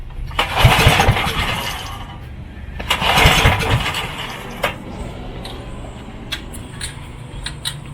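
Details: Coleman Contractor 4200 generator that sat for years, pull-start: two quick cranking bursts that die without catching; turns over but won't fire, some spark found, cause not yet confirmed.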